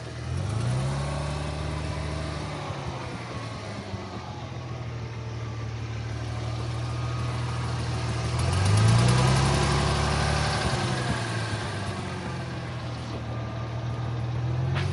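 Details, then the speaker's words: 2000 Ford Mustang V6 at idle, with a tapping noise the owner suspects is tappets or lifters and a check fuel cap warning: steady idle with a slight periodic stumble about four beats a second and a couple of blips; it sounds like it may be missing. "Is it missing too? Sounds like it's missing."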